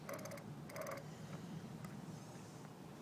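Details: Crisp, quick ratchet clicks in short bursts as an 8-speed freewheel with one spacer washer, mounted on a Magic Pie hub motor, is turned backwards; no grinding or binding, freewheel pawls working normally.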